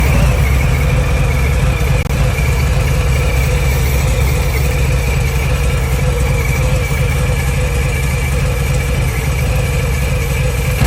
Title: Buzzing/clicking Noise from cam area on Milwaukee 8 114